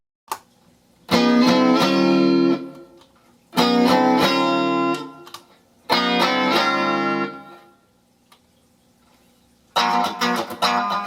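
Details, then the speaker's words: Fender-style single-coil guitar pickups, middle pickup in parallel with bridge or neck (notch positions): strummed chords thin, nasal and quieter, lacking low end; middle pickup out of phase; fix by desoldering and reversing its leads. "everything seems to be fine but the notch positions are out of phase you can tell because the middle pickup sounds perfectly fine by itself but when in parallel with the bridge or neck pickups it has a drop in volume and a thin nasally tone"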